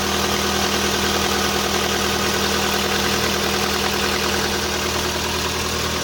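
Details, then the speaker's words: VW Polo sedan, CFNA engine, 193,500 km, cold start at −30° with the clutch pressed. Fast light ticking over a steady idle hum, no deeper knock: hydraulic lifters, not pistons. "Я кроме гидрокомпенсаторов ничего не слышу, никаких поршней."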